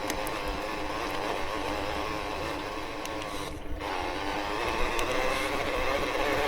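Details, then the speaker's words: E-MTB with a belt-drive motor system at a test event, being ridden: steady busy mechanical whir with fast irregular ticking of about three to four per second. Rider says it rides smoothly but the drive system is very noisy. "really well. Very noisy as a system, though."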